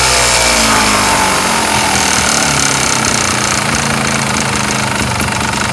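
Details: 2007 Sherco ST250 idling: busy, sharp metallic rattling knock about three a second; owner suspects piston slap, unconfirmed.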